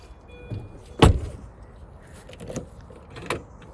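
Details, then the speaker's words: 2001 Mini R50 after replacing the BC1 body control module: a few separate clunks in a quiet car as door locks throw; central locking working, though remote locking not yet responding. "okay the center locking is actually is working and otherwise the remote center locking"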